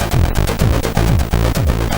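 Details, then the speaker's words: Commodore 64 board (spare board converted NTSC to PAL) playing a game: game music stutters in regular chopped bursts about three times a second, sounding broken and choppy, while gameplay, raster bars and joystick run at normal speed; owner suspects a CPU or timer/NMI timing fault. "You hear that? It sounds really bad, really choppy."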